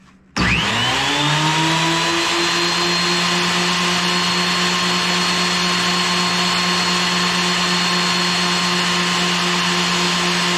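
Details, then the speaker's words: Wood planer after repair, a broken part that had been knocking everything off now replaced and the mechanism oiled: it spins up within a second to a steady high whine and runs smooth and even with no knocking or rattle. "Now I've got it plugged in. Just going to turn it on and see if everything's turning."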